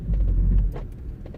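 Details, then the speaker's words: 2012 Vauxhall/Opel Meriva B petrol being diagnosed for locking-system warning light (code B2524-59); car driven to about 2 mph, low rolling rumble then short sharp clicks as both rear door locks engage together; normal auto-lock actuation. "There we go. So the doors are now locked, and you've seen that happen on both doors."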